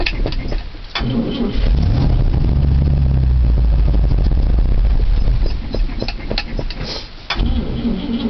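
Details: 1973 International 392 big block V8, sat three weeks, cold start in snow without touching the gas: short crank, catches at once, deep steady V8 rumble; normal cold start and idle.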